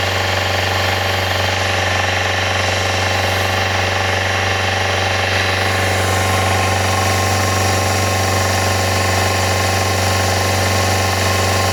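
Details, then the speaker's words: Yamaha FZR400 four-cylinder after a carburettor rebuild kit, a new No. 4 carb and a new battery, running on a little fuel: smooth, even idle with a steady low hum and no knocks or misses; healthy. "She sounds healthy."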